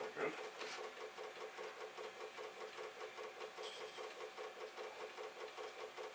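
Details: Commodore 1541 floppy drive, long stored in a garage, reading a test disk: steady quick clacking about 2.5 ticks a second as the head knocks while struggling to read; an initialize command then restored reading.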